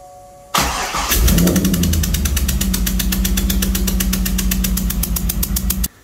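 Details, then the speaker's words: 2003 Corvette C5 Z06 LS engine after a valve spring replacement, compression tester still stuck in cylinder 8 with its coil unplugged, run to warm up. Catches after short crank, uneven loping beat; running on seven cylinders. "All right, so we fired her up. Cylinder number 8 still has the compression tester in there."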